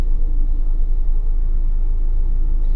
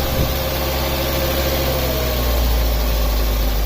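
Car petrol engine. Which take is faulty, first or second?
second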